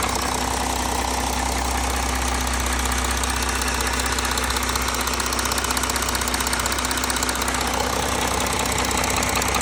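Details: Audi A4 3.0 TDI (CRTC engine), cold with oil temperature below 60°C: idle with a steady, regular knock roughly two or three per second over the diesel clatter; cause undetermined.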